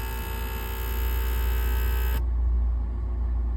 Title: 2003 Lincoln Towncar buzzing sound.